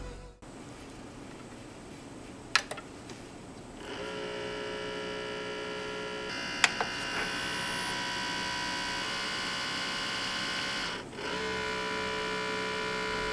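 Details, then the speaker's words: Sony CDP-CX355 300-disc CD changer at power-on: thin steady motor whir droning unchanged, carousel not spinning, table error on display, green LEDs blinking; worn carousel belt slipping, fixed by belt replacement. "so here's the summary of what's occurring number one that sound it is not a sound we want to hear the motor is running when powered on yep no carousel spin"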